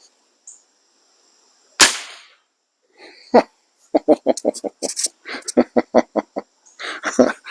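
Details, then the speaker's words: Webley Eclipse springer air rifle after a de-buzzing tune fires one sharp crack that dies away quickly with no spring twang or buzz; smooth, fast lock time, vibration-free shot. "yeah what can i say that sounded wonderful there's no vibration whatsoever that's got a very smooth fast lock time now and none none zero zip vibration absolutely zero"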